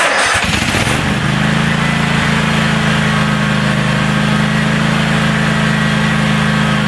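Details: DR all-terrain brush mower, 17 hp Kawasaki, after carburettor cleaned, started with no choke: cranks briefly, catches within a second, settles into a steady, even idle with no hunting or stumbling; running fine.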